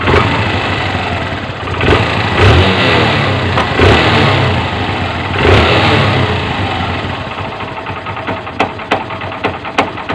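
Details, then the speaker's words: Honda CB125 after overhaul with new piston rings and valve seals, in neutral: small revs then an uneven loose rattle at idle that disappears when the clutch lever is pulled, from an unrepaired worn clutch damper. "Mga Pre lumalagutok na yung clutch d pero pag hinawakan natin yung kanyang clutch lever mawawala yan"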